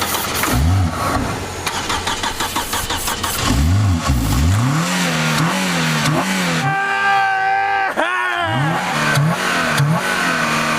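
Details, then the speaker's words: Engine cranks briefly on ether starting fluid, catches and revs hard to full throttle with rising and falling pitch; starts on starting fluid, underlying fault unconfirmed. "Mike says if there's anything that isn't wrong with the spark this will start the car see an ether start cranking her there we go full throttle"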